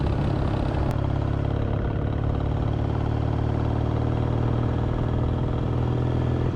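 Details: Kawasaki W650 twin at idle after fixing a rattle heard when riding around 40–60 km/h: even, steady low thump with no tinny buzz or rattle; healthy.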